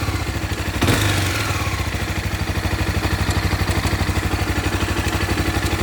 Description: minha cb 300r 2014 começou com esse barulho de corrente de comando 😥